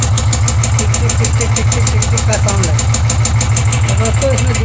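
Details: Royal Enfield 350 single-cylinder at idle: a sharp, even tick at about three per second over a steady idle.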